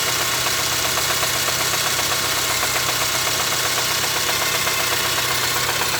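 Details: Engine at steady idle with a regular light knock, roughly two or three per second, over the hum; engine knocking at idle, source unknown.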